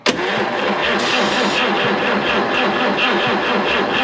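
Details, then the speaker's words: 1953 Chevrolet 210 barn find with dirty fuel and points set very tight, cranked with throttle held open: even rapid starter churn with no firing; spark being checked, cause not confirmed: crank no start. "I don't think we got any uh All right. I don't think we got any fire. Nope."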